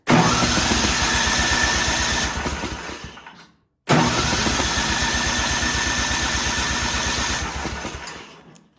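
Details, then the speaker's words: Ariens snowblower sat years in barn, cranked on choke and primed: two ~3-second cranks, spins evenly but never fires, no gas heard; suspected stale gas gunked the carburetor, crank no-start. "So it is entirely possible that it sat in the barn with gas in it all those years, and yeah, now the carburetor is just gunked up."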